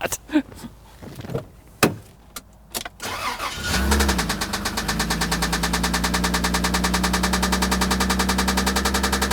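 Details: Toyota Land Cruiser engine with a loud knock, reassembled to test for external causes: after cranking it settles into a steady idle with a heavy knock about three times a second. Cylinders are checked by hand and by pulling plug wires. Cause unconfirmed.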